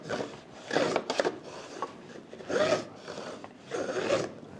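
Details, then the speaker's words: Freshly sharpened No. 5 jack plane on hard maple at a shooting board, blade advanced repeatedly, gives a dry raspy scrape each stroke with no crisp slicing hiss; chip breaker set wrong, so the plane scrapes instead of cutting. "Does that sound like a nice brand new freshly sharpened blade on a piece of wood? I didn't think so, either."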